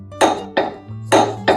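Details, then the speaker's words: Husqvarna zero-turn mower blade bolt being tightened with a torque wrench: four sharp metallic clicks, each a crisp snap with a short ring, as the wrench breaks over at its 50 ft-lb setting. "It's the torque wrench clicking. That means the blade is at the right torque. So that's 50 foot-pounds."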